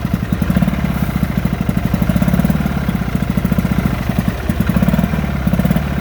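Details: 1972 Sea King (Chrysler) 35 HP two-stroke outboard, first start in about 20 years after a flywheel key and water pump replacement, shift tied in neutral: choppy, popping, surging idle, so the fuel pump clearly needs rebuilding.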